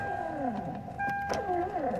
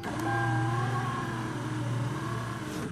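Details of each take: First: 1996 Toyota Camry driver's power window: motor whirs with steady high whine in short bursts but window doesn't move; regulator cable likely broken. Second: 1996 Toyota Camry driver door power window after window motor repair, tested up and down with the key on: smooth, steady low electric whine, even pitch, no grinding or clicking, clean stop; window works normally.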